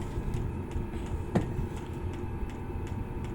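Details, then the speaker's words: 5 kW Chinese diesel garage heater turned down to lowest setting one: soft steady fan hum dropping right down with faint regular fuel pump ticks about every half second; normal low-speed running. "so there you go you can hear the fan dropping right down now"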